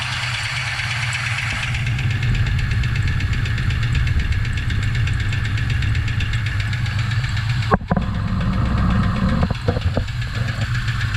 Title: craft Performance engine Engine Knock